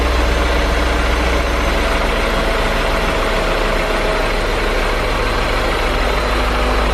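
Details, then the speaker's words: 2003 BMW E39 M5, S62 V8, mostly stock with stock exhaust, not a completely cold start: deep, even idle with a steady low rumble and no rattle or ticking; owner hears pretty much no VANOS noise. Normal idle. "okay guys so as you can hear the car sounds really quiet pretty much no vanos noise in my opinion I mean it does definitely have the s62 style sound of course all of us have grown to love or maybe hate"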